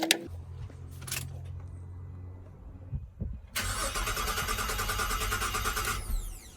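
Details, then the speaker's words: Holden Commodore VZ, earlier a no-crank car, now cranking after a faulty battery was swapped: the starter spins the engine evenly for a few seconds but it never fires. Crank, no start; the owner thinks he knows the cause. "but this was the reason that this car was scrapped because no one could get it to crank well it's cranking I think I know what might be wrong with this car why it's not starting"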